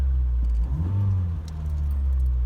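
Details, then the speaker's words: 2001 Nissan Micra K11 CG10DE petrol after oil change, oil light out: low steady idle, one gentle blip rising and falling smoothly, then settling; normal engine revving. "i just like to give it just a couple of gentle revs don't like rev the nuts off here but just trying to like"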